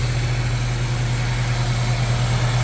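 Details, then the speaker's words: Honda EF Civic sedan after timing belt work and valve lapping: even idle with a steady low hum underneath and no knocking; source unknown, owner wonders about the battery charger or suspects the timing jumped. "hearing a humming noise starting to slow down wondering if it ain't this fucking thing I'm going unplug this charger see what"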